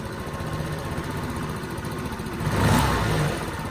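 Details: Small scooter after carburetor cleaning, mixture screw turned in half a turn: engine idles evenly, then a quick throttle blip rises and settles back without stumbling or stalling.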